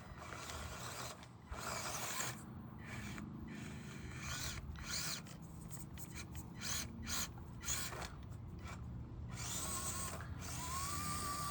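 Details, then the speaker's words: Axial SCX24 Deadbolt RC crawler with an Injora 050 66T motor and relocated shocks, at speed setting 100: small electric motor whirring with irregular ratcheting clicks under load while crawling. Drivetrain noise, cause not pinned down. "Not liking that sound I'm getting though."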